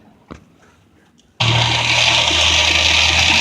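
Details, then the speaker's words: Chevrolet C10 after replacing the tapping fuel pump (owner suspects the old pump's diaphragm piston was sticking): engine starts and settles into an even, steady idle with the tapping gone; pump area quiet. "Alright, so the tapping sound is gone now, because what was happening is, I think that it's like a piston that's in there on that diaphragm."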